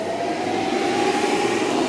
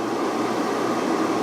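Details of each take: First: Van inverter fed by a new LiThink 12V 280Ah LiFePO4 battery through thin cables, running a small air fryer at 200°. Loud steady fan roar under heavy load for about six seconds, a short beep, then wind-down. Low-voltage cutout, most likely from voltage drop. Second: Van inverter on a LiThink 12V 280Ah LiFePO4 battery running an air fryer at about 1532–1543 W. Earlier it cut out at 11.8–11.9V from losses in thin wires and joints; now it holds 12.1–12.2V. Steady, even fan rush with no rattle: the inverter fan runs normally under load.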